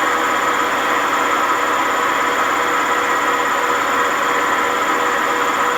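A loud, rough, continuous roar with a steady whine through the fast spin: the drum bearings are badly worn.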